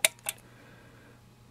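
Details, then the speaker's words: Jacuzzi whirlpool pump air switch, newly replaced, tested by pushing the air bellows: puff of air trips the micro switch, two crisp clicks, working normally. "pushing that air Bellow in is going to activate a puff of air that activates the micro switch on that air switch and you'll hear that clicking okay so we're clicking we're in good business it's working order right now"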